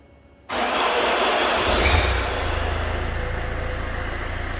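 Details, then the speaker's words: Citroën C5 2.0 HDi (2004) at start-up: a brief, rough whirring crank before the engine catches and settles into idle; the starter motor is worn and is to be replaced. "Voilà, pour le symptôme démarreur. Donc on va remplacer le démarreur."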